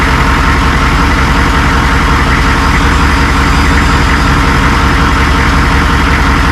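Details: AM General M1123A2 HMMWV diesel in a steady, smooth idle with an even low throb and a constant rush of air. The thermostatic switch (458A/458B) is disconnected and jumpered, with time-delay cooling connected, to test fan engagement.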